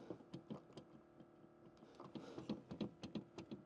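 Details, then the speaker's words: 4th-gen Ram with an Alpharex Nova LED projector headlight: loose, uneven clunks when the housing is rocked by hand. The plastic LED bulb holder moves and there is play, probably in the adjuster; not confirmed. "I don't know if you guys can hear that clunking but that's pretty much the complaint here huh you can kind of see there's some play in that deal I think that's yeah that's the adjuster huh"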